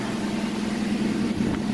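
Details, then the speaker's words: Truck with a manual choke, started for the first time after sitting 14 days and still cold: a steady low hum over the engine rumble in reverse. Owner suspects something inside the transmission bell housing. "so when I reversed you guys can hear the noise watch it takes itself and you don't hear there's something in there"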